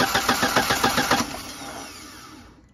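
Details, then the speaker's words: Audi 80 1.8 mono that came in not starting, battery replaced: quick even cranking, then it winds down with no firing. No spark, traced to the central coil-to-distributor lead terminal pulled loose. "Так, бізде мұнда что-то көрінбейді искрамыз. Енді негізі бірінші центральныйдан қарау керек қой бірден."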